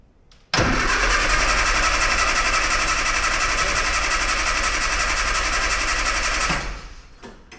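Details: 998cc Mini Clubman, first start attempt after years stored, battery fitted, oil checked: steady starter cranking about four turns a second for six seconds that never catches; turns over but starved of fuel.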